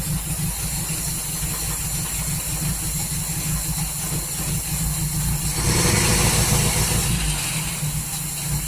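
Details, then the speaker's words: 1939 Hillman with a fuel pump problem, restarted about 5 minutes after adding water: low, slightly uneven idle pulsing about three times a second. Owner suspects ignition timing is off after adjusting it. "I think the timing might be out of it. I've been messing with that. Try to put it back to where it was."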